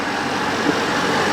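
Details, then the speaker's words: Portable air conditioner newly installed in a catamaran's aft cabin, outlet duct blowing cold air; steady even rush of air, no knocks, rattles or squeals, running pretty quietly; normal running. "There's the unit. It's running pretty quietly."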